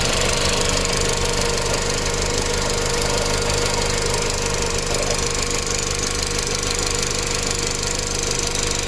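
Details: Audi B7 A4 1.8T, tuned, new cam chain tensioner, hot idle: steady light top-end ticking about three per second, only when hot; owner suspects insufficient oil pressure to the tensioner at idle, not confirmed.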